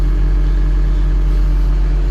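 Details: John Deere 700K dozer (DEF diesel) freshly started on a mild morning of about 50 degrees, warming up: deep, steady diesel rumble with an even low beat and no knocks or misses; a normal, clean idle.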